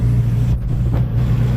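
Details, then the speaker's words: Turbo car with aftermarket programmable ECU and no idle control valve, first morning start at 18°, exhaust manifold stone cold: low, steady idle with even rumble, no hunting or misses. "it's idling on its own. It's cold, stone cold. Exhaust manifold is stone cold. Um, without using an idle control valve."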